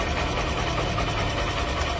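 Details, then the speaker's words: Honda SP Shine BS6 single-cylinder bike: fast light chattering rattle over a steady idle, present right from start-up; timing chain noise. "दोस्तों अगर आपने अच्छे से sound को नहीं सुन सका तो मैं आपको बताना जा रहा हूं यह साउंड आ रही है टाइमिंग चैन की"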